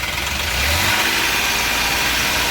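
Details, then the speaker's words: Ashok Leyland Dost diesel revved: jerking, misfiring and not taking full revs, no scanner code; cause found to be a failing crankshaft position sensor, fixed by replacing it. "और गाड़ी में जो है झटके लेने की problem थी। Missing कर रही थी गाड़ी। फुल रेस जो है वो नहीं ले रही थी।"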